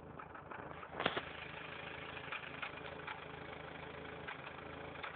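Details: Factory turbo Toyota 4Runner idling rough: a steady low drone broken by irregular, erratic exhaust puffs; revving above 3000 rpm stops the pulsing briefly, then it returns.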